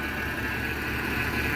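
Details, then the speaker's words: 1989 Jeep Comanche Eliminator, 4.0L, AW4 automatic, running cold with a suspected missing or bad thermostat: steady thin whine above a rough cold idle from a complaining power steering pump; replacement suggested. "you can hear that power steering pump complaining I'd probably put a new one on it"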